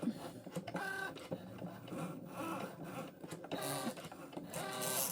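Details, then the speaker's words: Cricut Joy cutting a cake topper: quick whirring carriage moves with short stepping chirps and pauses; some noise is normal, partly from tape added to the mat — normal cutting noise. "fait un peu de bruit c'est normal parce qu'en fait c'est le truc c'est pas adapté mais ça fait rien"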